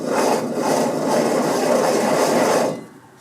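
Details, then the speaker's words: 2002 Dodge Ram 2WD, passenger-side front hub assembly: rough, gritty grinding rasp as the hub is spun by hand, a badly worn wheel bearing needing hub replacement. "Wheel bearing isn't supposed to sound like that."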